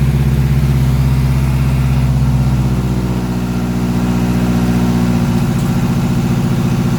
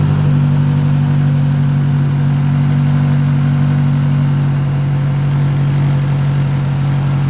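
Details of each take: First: Big-turbo Mazdaspeed3, first start after the build, idling in a garage: a steady even idle with a smooth low drone and no knocks or misses; onlookers wonder if it has an exhaust leak or is just loud. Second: Big-turbo Mazdaspeed3 idling at its first start since October, in a garage: a steady low idle with a faint light rattle of unknown source; the oil is checked and something is noted as not tightened, cause unconfirmed.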